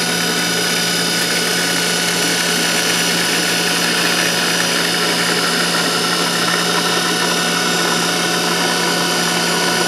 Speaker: flow through here bastard more we're restricting flow to the pump now you can hear the noise